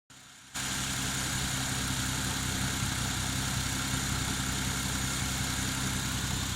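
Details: Toyota 1JZ-GTE engine starts and settles into an even idle with a faint rapid tapping on top; engine knock, source unclear.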